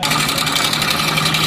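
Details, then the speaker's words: Hero Honda Splendor Plus motorcycle idling: busy, metallic high-pitched clatter over the exhaust beat; timing chain rattle, and the timing chain is to be replaced. "तो दोस्तों, देखिए यह इसकी timing chain की आवाज है और हम इसे पूरी तरह से खोलेंगे।"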